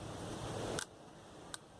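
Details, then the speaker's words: Washing machine drain motor's internal relay pulling in with two sharp, dry clicks over a quiet room. It energizes as soon as the board sends current and stays on while the machine runs, locking the arm. Normal relay click. "Ahí se escucha el relé actuando porque él permanecerá energizado siempre que la máquina esté en operación"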